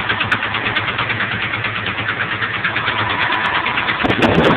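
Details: 1997 Ford F-150 XLT, five-speed, 124,000 miles: at idle a regular, fairly quick knock about three beats a second, loud from the passenger side and underneath; it speeds up with acceleration and persists after a complete tune-up.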